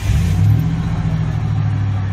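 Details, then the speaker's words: 1997 Ford F-150 with high idle, DTC P1506: start-up flare settles to a steady fast idle around 1200 rpm that never drops; the idle air control valve, duty cycle low, is suspected sticking and can't bring it down. "we're having a concern where the truck starts up just fine everything's just fine but the idle is sitting around 1200 RPM and the iak cannot control and bring it down"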